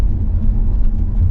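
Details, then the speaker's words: Van in Turkey after a Renault garage replaced two parts to cure a worsening clunk: steady low road rumble while driving, no knocks or clunks over bumps; suspension now quiet. "clunk free van"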